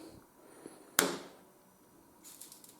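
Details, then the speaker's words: Compaq 386s CRT monitor switched on from mains, no computer connected, after repair: a switch-on thump with decaying buzz, then faint high-voltage whine and light static crackle with screen flicker; normal power-up. "well there are encouraging sounds coming out of it i can certainly hear the high voltage and there's some kind of flickering on the screen"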